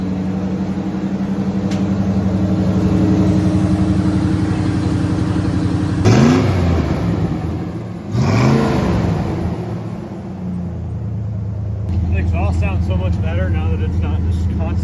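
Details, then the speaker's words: 1982 Ford Bronco (bullnose) V8 after reseating a torque converter that had come back 3/4 inch: deep steady rumble with a couple of blips, no chirp or tick; healthy. "constantly chirping. Right, you can hear the exhaust versus tick, tick, tick, tick, tick, tick, tick."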